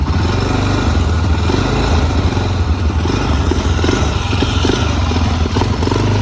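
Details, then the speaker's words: Original, low-hour 2004 Honda TRX400EX single-cylinder quad, started on choke: deep, even thump with steady firing and no knocks or rattles. It idles smoothly and sounds healthy. "So let's fire it up where y'all can hear them horses run. I may have to choke it, I ain't sure."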